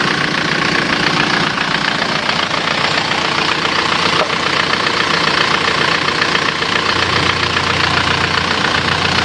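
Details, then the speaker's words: Isuzu Panther diesel from Yogyakarta, after engine overhaul (turun mesin) for white smoke, reusing used liners; loud, even diesel clatter at steady idle, no knocks, smoke seems cleaner; normal healthy idle, road test of at least 50 km planned. "tam bukan Cafe suaranya suaranya ya bagus ya asapnya kalau menurut perasaan saya Justru malah lebih bersih"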